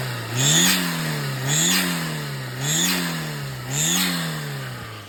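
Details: Turbo Daihatsu Mira revved four times: a sharp high-pitched squeal rises and fades with engine speed and now appears at idle after the belt was tightened. No boost leak; a belt or broken turbo intake is suspected, cause unknown.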